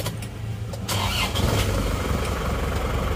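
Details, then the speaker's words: Isuzu Panther Touring diesel started: short crank, fires, settles to a smooth even idle; normal start, as smooth as the Kijang though more cabin vibration. "Nah dari dalam kabin getarannya itu emang lebih getaran Panther daripada Kijang. Terus suara mesinnya seperti ini. Ini sama-sama halusnya sebenarnya, sama-sama halus."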